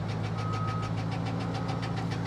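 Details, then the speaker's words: Salvage-auction car running with oil pressure: fast, even tapping about seven per second over low engine drone; a knock of uncertain cause. "Ooh. That almost sounds like a knock. Look, all this stuff is falling back in the dash. Guys, that don't sound healthy."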